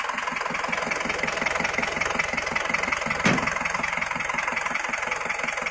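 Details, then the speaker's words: Isuzu Panther diesel from Semarang, engine rebuilt after broken piston rings caused blow-by; new rings in old liners, first run-in drive after rebuild; even diesel clatter at steady idle, about three firing pulses a second, no misses or heavy knock; running normally. "Setelah naik mesinnya tadi, setelah dihidupkan, itu kita bawa jalan ya ini. Seker baru, jadi agak sedikit dirayon juga ya, karena sehernya baru, walaupun liner lama tapi sehernya baru akan kita rayan sebentar ya."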